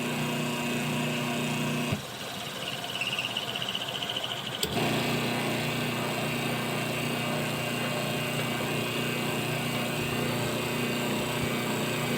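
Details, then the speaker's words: Washing machine wash motor bench-wired through a timer switch and capacitor: hum drops out for a couple of seconds then picks back up steadily as the motor reverses; normal forward-reverse cycling. "Yan guys, kung makikita nyo, yan ay nagre-reverse forward yung wash motor natin."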